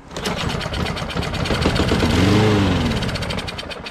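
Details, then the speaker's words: Curb-found, water-flooded Lawnboy RWD mower: the small engine catches and sputters briefly on contact cleaner, then dies; runs only on starting fluid, owner suspects a dirty carburetor is stopping fuel from reaching it. "so i think it's because even though it has some gas in there gas is probably not getting to the carburetor which means the carburetor is dirty"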